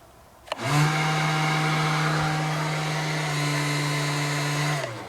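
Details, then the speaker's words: 2002 Arctic Cat 300 ATV, 280cc oil-cooled, with an installed fan: a steady, even electric fan hum with a faint whine spins up, holds, then winds down; the fan runs normally. "If you're wondering what that noise was, it was a fan that we had installed."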